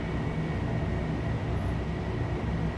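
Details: 1982 Emerson 24-inch whole house fan switched to high speed: steady, even rush of air with a deep, constant drone and a faint high hum; normal running on high.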